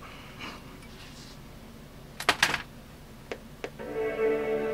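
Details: Power Macintosh (Performa 6200CD or 5300/100 LC) powering on: after handling clicks, a clear sustained startup chord rings out steadily; normal chime, machine powered on fine.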